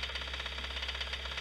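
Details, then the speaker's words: Running engine during a cylinder-by-cylinder spark cut test: cylinder one changes the noise slightly, cylinder two greatly; quick, steady metallic knocking from a worn connecting rod bearing; rod knock. "BAM there's a problem piston right there that's exactly what it is it's a connecting"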